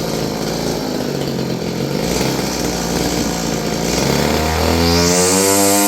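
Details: Roughly 30-year-old Stihl FS56 curved-shaft two-stroke trimmer, air filter refitted, buzzes unevenly, pitch wandering then climbing, like it is hunting for fuel. It is surging and fading; dirty fuel and air filters were found.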